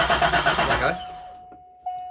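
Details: Manual Corvette C5 that had been a non-runner, just fitted with a replacement PCM/ECU while the security system relearns: starter chugs briskly for under a second with even compression beats, then quits. Cranks but won't start.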